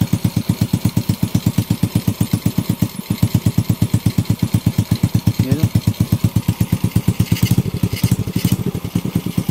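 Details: Honda Wave 125 idling on its first start after a top overhaul (new cylinder head, piston and rings, rebored block), carburetor not yet tuned: even single-cylinder thumping about four to five beats a second, no knocks or misses, no longer smoky. Normal idle.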